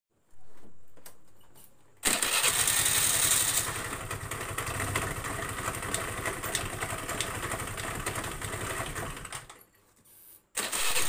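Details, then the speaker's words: Honda Vario scooter lacking power with harsh noise from CVT housing: revs up with a harsh, gritty rasp from the belt drive; worn roller housing bushing and rollers. "Oke kasus utamanya suara kasar di bagian bak civt ada suara kasar di bagian bak civit"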